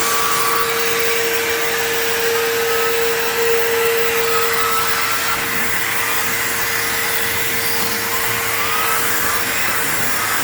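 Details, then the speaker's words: PowerForce 3522-6 vacuum with turbo brush attached, spinning up. Loud steady motor rush with a constant mid-pitched whine that never sags. It almost sounds like it's straining but doesn't trigger the indicator: normal running. "It's kind of funny because when you have a turbo brush on it, it almost sounds like it's straining, but it's not. It's not activating the indicator or anything."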